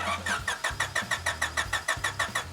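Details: Long-parked stock Honda Civic hatchback, oil and coolant checked: starter churns steadily about five turns a second, no catch or firing; cranks but won't start, later found to have spark and compression, cause not confirmed.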